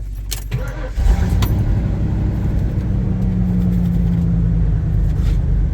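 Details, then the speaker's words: V8 truck started after its battery was charged: catches after a short crank and settles into a steady, even idle with a deep low rumble and no knocks; running smooth, clean at the tailpipe. "Sounds good. Running smooth. Clean at the tailpipe, looks like. Might just be back in business."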